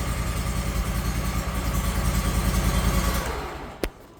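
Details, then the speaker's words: PG690 propane-powered grinder just started and idling: smooth, even small-engine beat, then winds down and shuts off with a click; normal idle. "now when you first start this up just going to want to let it idle for a minute or two uh you know let the engine oil circulate about and the engine to come temperature"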